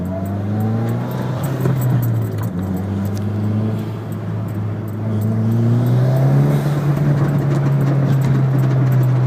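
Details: Evo X, off throttle: the engine note falls and rises as the throttle closes, with a loose metallic jangle over the low drone off load. A rattle off throttle, cause unknown.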